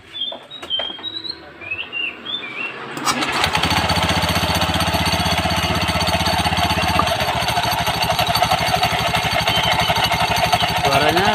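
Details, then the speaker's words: Honda Beat FI scooter at idle (langsam), microphone near the CVT: a harsh, fast metallic chatter after the starter, suspected in the dual clutch (kampas ganda). "n ini teman-teman suaranya seperti analisa saya bukan dari depan saya coba fokus di bagian kampas ganda"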